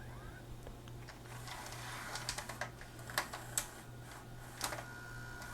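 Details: Magnavox ZV427MG9 DVD/VHS player after replacing a shorted 220uF 6.3V capstan motor supply capacitor and driver transistor, third load attempt: soft hum with irregular mechanical clicks as tape threads; loads and plays normally, mode select switch still suspect.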